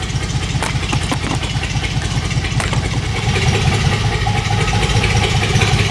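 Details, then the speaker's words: Dodge Magnum SXT 3.5L V6 stroker with Inertia cams and hand-ported heads and intake, first fire: a deep, choppy, loping big-cam idle. It is starting to run better; owner thinks the computer is still learning the cams and fuel trims. "it definitely sounds like that she's got a big fat nasty camera i mean it does"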